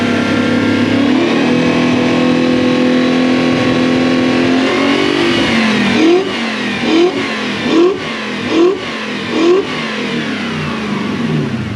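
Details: Toyota Celsior (LS400-badged) 1UZ V8 after the airflow meter was replaced; a steady run, then five throttle blips that climb and fall back cleanly with no popping. Normal revving.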